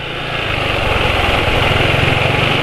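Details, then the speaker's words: Motorcycle engine running on Kendall GT1 oil mixed with Sabrina cooking oil: steady run with fairly coarse, slightly uneven beat over a high whirring, quieter than other bikes but rather rough; owner judges oil mix inferior, plans switching to Mesran SAE 40. "kayak begini masih lebih senyap dari motor lain tapi ya ini lumayan kasar lah"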